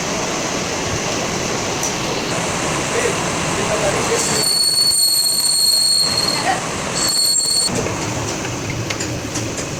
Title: Truck making noise in gear box while driving check and repair |truck gear box repair(Ashok leyland)